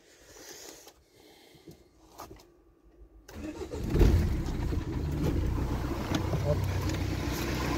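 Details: Renault Espace 4 after replacing the alternator and water pump, battery freshly charged: quiet at first, then the engine catches about three seconds in and settles into a steady, even run; normal start, charging test passed.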